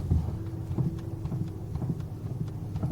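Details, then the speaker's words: Ford Focus 3, 1.6 125 hp Powershift automatic with hydraulic power steering, 887 km, two weeks old: dull, irregular knocks while driving on gravel circles at 15–20 km/h and when turning the wheel standing still. It is a worn steering-rack knock. "Вот такое неприятное звучание появляется. Можем камеру убрать пониже, послушать. Ездим по кругу. Скорость небольшая, порядка 15-20 км/ч."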